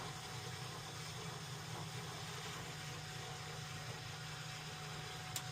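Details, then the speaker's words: New Weil-McLain WM97+ condensing gas boiler, after fixing high pressure and a leaking relief valve from a badly installed expansion tank, in post purge: even, steady blower hum, no surging or rattles, some air still in the system; normal operation. "So overall, pretty good shape. See, it's in post purge right now. Sounds like we got a bunch of air in there even though we purged from there."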